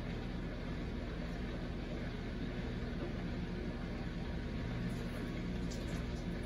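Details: Samsung Eco Bubble WD106UHSAWQ washer-dryer drying a blanket on the 2-hour timed dry cycle, with the panel stuck showing 1 minute remaining: steady low drum hum, even fan whir, no knocks or scraping; normal drying cycle.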